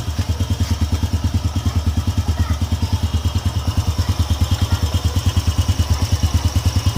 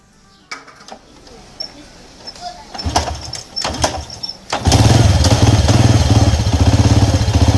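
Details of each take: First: Honda EX5 Dream single-cylinder engine, which ran rough and loud because of a loose screw, now reassembled with fresh engine oil. It gives an even idle thump of about three beats a second, with no knock or rattle: a normal, healthy idle. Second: Honda EX5 Dream motorcycle engine fires after a few cranks into a loud, rough idle with a hard knocking beat about four per second.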